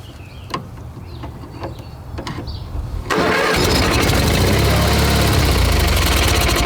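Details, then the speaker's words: Hard-starting tractor on a 12.8 V 20 Ah LiFePO4 battery after sitting all winter, with poor fuel lines: about three seconds of slow even cranking, then it catches and settles into a steady, rough-edged run. "is a difficult tractor to start. It does take a while cranking it anyway."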